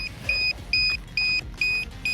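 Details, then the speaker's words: Traxxas Bandit RC car speed run with taller Hot Racing 72t spur/38t pinion gearing, LiPo after 2-3 runs: shrill two-tone beeps about twice a second as the pack sags under load and trips its 3.5 V/cell low-voltage alarm; 65.9 mph max, no speed gain. "the low voltage alarm's going off. And we didn't even pick up a mile an hour with this much taller gearing."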